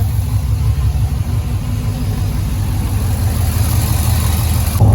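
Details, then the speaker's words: C6 Corvette V8 at idle on first start after cheap eBay long-tube headers, new tips and small mufflers: deep, steady, even burble, no ticking or leaks heard; sounds healthy. "oh it sounds much better now so much better oh wow that sounds really good"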